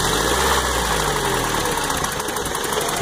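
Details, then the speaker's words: Toyota truck just back running after new timing chain, oil pump and water pump plus exhaust work: not overheating, but idle sputters, goes lumpy and nearly stalls once throttle is released; owner suspects an exhaust leak. Rough idle near stall. "does not seem to be overheating but that sputter is pretty bad wondering if maybe an exhaust leak or something like that could possibly be the culprit and you see I stopped a stop pushing on the gas and now it's like ready to stall out"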